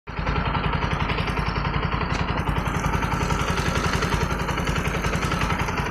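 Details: Bajaj NS 200 single-cylinder engine idling: steady beat with an irregular extra tapping over it; owner finds it a new, irritating engine sound, source not identified.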